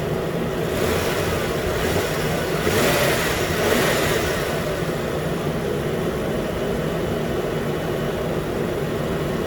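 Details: 2013 Nissan Pathfinder, 265k miles, after new AC clutch and serpentine belt, around 80 degrees: new clutch clicks on, even engine hum with compressor running smoothly, no grinding or chatter; healthy.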